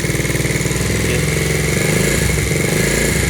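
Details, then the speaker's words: Taotao 49cc single-cylinder scooter after performance upgrades (CDI, exhaust, spark plug, carburetor, air filter); owner unsure if it runs rich: steady even idle beat with no misses or knocks, rear wheel not turning; normal idle. "So you see how the performance go is when I started, that idling, the back wheel doesn't take it. So I think I did it right. But anyway, that's where everything's at. Pretty smooth."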